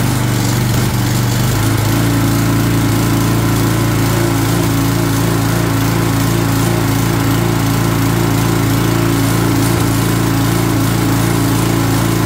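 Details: Long-sitting Craftsman 22" walk-behind string trimmer, 6.75 ft-lb Craftsman flathead single-cylinder, running on spray before carburetor replacement; steady, even drone with no misses, knocks or surging. Normal running.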